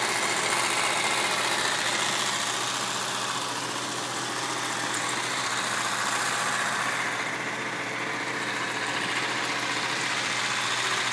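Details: BMW M3 E36 engine after a high-rev run, followed by a burning smell: steady running with a hissy, rattly top-end clatter and little low rumble; abnormal noise of unknown cause.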